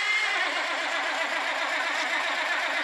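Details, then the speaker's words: Old Kenworth truck diesel, first start after five years parked: dense, rough churning with an uneven beat as it turns over, catches with smoke, then settles into running; cranking and starting. "Atta girl. Smoke's good. Even smells good. The old school smoke."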